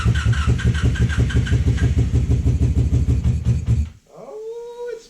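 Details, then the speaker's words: 1987 Honda Super Magna that sat about 10 years in a field, fuel system pressurized and choke broken: uneven low thumping about three per second, lumpy and stumbling, then dies; not firing on all cylinders, misfire. "trying. It's trying. It's definitely not hitting on all cylinders, but uh let's see."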